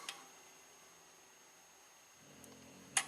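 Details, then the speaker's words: 1998 GMC Sonoma with EGR position codes P0404/P0405 and an aftermarket EGR valve, during a scan-tool actuator test commanded 20% to 100%: faint clicks as the valve steps through positions. Normal EGR valve actuation. "30%, 40, 50, 60, let's go all the way. Seems to be working just fine. 100%."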